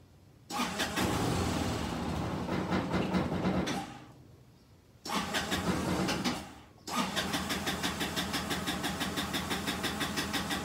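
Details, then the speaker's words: Kymco scooter that began running poorly: starts, sputters and dies twice, then idles unevenly with a lumpy beat. "think about why this thing is running like garbage and see if we can't solve that problem and then chase the bugs away and decide what we're gonna do with this scooter so this is what I mean by running crappy here"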